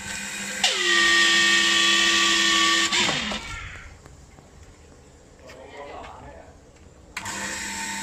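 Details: New Hitachi water pump with tank, high whine and buzzy hum from rear of motor as it spins up and runs; bearing first suspected.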